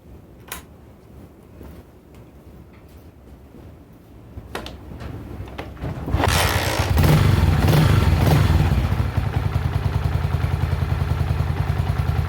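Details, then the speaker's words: Honda CG125 single with high-throttle running problem, after ignition parts replaced under the flywheel: catches and climbs into a fast, even, crisp rev with no stumbling; revving much better, timing advance now correct. "Already I can tell that's revving better, so let's put the strobe light on it."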